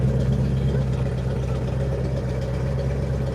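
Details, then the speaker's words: Carbureted engine still slightly cold: low, steady idle with an even beat and no stumbles or misses; normal clean idle. "And as you can hear, this carburetor idles very nicely."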